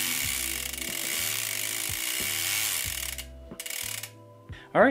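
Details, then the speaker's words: Bicycle drivetrain spun in the shop after a deep clean with the drivetrain taken apart: smooth with a soft hiss and light regular ticking, and the earlier grinding is gone. "think we fixed it the grinding sound that i don't have ever picked up on the audio i can't hear it anymore so that's fantastic"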